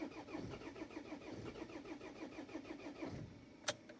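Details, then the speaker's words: Pizza van diesel in hard frost, third cold-start attempt with thick oil after glow plug cycle: slow even cranking about three to four turns a second, one short catch that dies; no-start, owner concludes glow plugs likely failed. "Ei hakka piinama teda rohkem. Praegu käima ei läinud. See on siis 3 korda katsetasime. Ehk siis võib vist öelda, et eelsüüti küüned on läbi."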